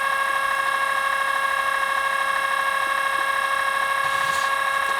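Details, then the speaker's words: Early-1980s Technics RS-M230 cassette deck with play pressed: a steady, even motor whine at constant pitch; the capstan turns but the transport does not engage. Mechanical fault suspected, belt and clutch mechanism being checked. Capstan running, transport not engaging. "let's hit play not much of anything going on i'm feeling this is a mechanical fault yeah i can't see any pulleys that are stalled let's be the capstan that's turning"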